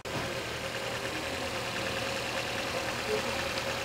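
A petrol car engine idles steadily and evenly, with no knocks, whines or misses standing out.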